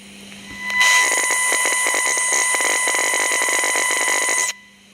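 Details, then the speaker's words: Radio chassis probed with a homemade interference-tracing probe feeding an audio amp: harsh hissing crackle over faint hum and whistles from a very noisy inductor, suspected cause of the audio problem; it is then swapped for an inductor from a scrap chassis. "I think we found our culprit. We've got a very noisy inductor down here."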